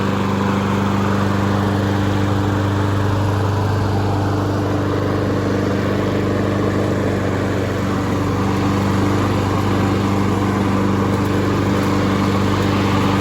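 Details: Honda HRN216VKA lawn mower running on ethanol-free fuel while being run dry for winterizing; smooth, even steady drone with constant hum, no misses or surges, normal running.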